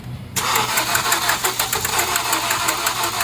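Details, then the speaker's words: 2014 Honda CR-V 2.4L after timing chain replacement left unfinished by another shop and reassembled: cranks with fast sharp metallic clicking and never starts. Pressure came from under the valve cover although timing marks look correct; valvetrain fault suspected. "okay guys so we got the uh engine back together we're cranking I heard it clicking yeah yeah God"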